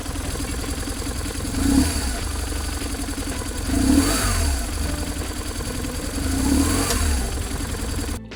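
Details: BMW R1150GSA boxer twin after swapping the left-hand cam chain tensioner for the updated version: revs up and settles three times with clean, even note and no chain clatter; throttle body butterflies still rattle, music partly masks it.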